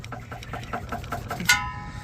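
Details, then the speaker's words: Mitsubishi Eclipse rear sway bar end link, loose with torn boots: quick light metallic clunks, about five a second, then a sharper ringing clank; link being replaced. "hopefully you guys can hear it clunking so that's what's been clunking in my rear right there"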